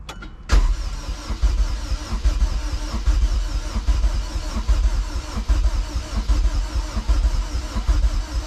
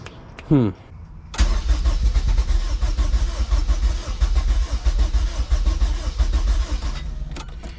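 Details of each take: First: Rebuilt junkyard Honda K24A2 engine swapped into a CRX, cranked over before first start to prime the oil, injectors unplugged: steady, even starter churning with no knocks or scrapes; cranks over cleanly. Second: Rebuilt junkyard K24A2 in a CRX, first start attempt with the throttle body valve unable to open because there is no throttle cable. A short crank catches, then the engine stumbles and surges unevenly, running rough from lack of air.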